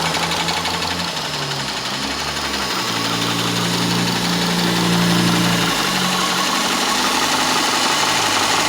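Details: Subaru Legacy 2.5 SOHC petrol engine at idle with a steady light ticking about three times a second over the low hum.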